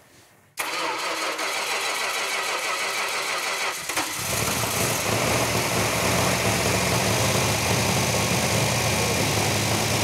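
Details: 1971 Dodge Challenger R/T V8 fired for the first time on a run stand with the right-hand muffler off: quick crank, then a loud, steady idle with no misses or knocks; running healthy.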